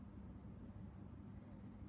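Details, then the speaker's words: Bali ceiling fan after blade cleaning, blades reversed, blade brackets out of alignment: faint, steady low buzz at one pitch; fan motor buzzes, owner attributes it to the misaligned brackets. "Yeah, it's out of alignment. That explains why. So I just turned it off. Yeah, that's the fan running off just its out of alignment brackets."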